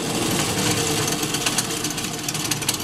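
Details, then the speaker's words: GM alternator (CS-130D/AD-244 type) spun on a bench tester at full output: harsh, rough buzzing growl caused by a known-bad bridge rectifier; fix is desoldering three leads and replacing the rectifier assembly. "I know this bridge rectifier is bad in this alternator so we're going to run it and test it you're going to hear the noise that a bad bridge rectifier makes they sound terrible"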